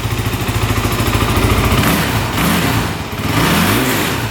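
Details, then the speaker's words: 2008 Kawasaki KFX450 fuel-injected single-cylinder quad in neutral, even idle pulses then climbs cleanly to full revs and drops back with no bog or hesitation; normal free revving. "revs out completely no bogging at least in neutral so so far we're getting pretty lucky here"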